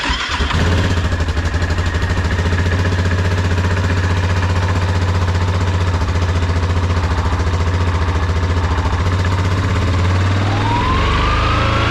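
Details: Yamaha Grizzly 550/700 ATV after a full wet clutch rebuild with an OEM one-way bearing, some nuts not torqued to spec: the engine catches and settles into a steady, even low idle thump with no chatter or rattle; the clutch sounds right.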